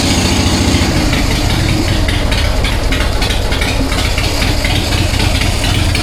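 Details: 1999 Harley-Davidson Sportster 1200, S&S Super E carb, in neutral after accelerator pump clean and replacement (it had sputtered on throttle): deep even loping V-twin idle, no stumble or sputter. Normal idle.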